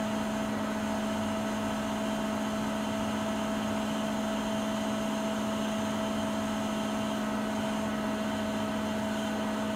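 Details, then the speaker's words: Siemens iQ300 WG41A1X1TR washing machine, spin program mid-cycle at highest spin speed: steady, even high-speed whir with constant hum and whine, no knocking or rubbing; healthy spin. "Sıkma işleminin ortalarına doğru sıkma devri en yüksek seviyeye çıkıyor."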